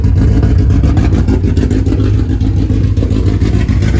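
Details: Honda Civic with swapped K24A2 engine running Hondata: loud, full-bodied rev held high with a busy but even beat and no knocking, heard before first road drive; engine pulls cleanly and sounds healthy.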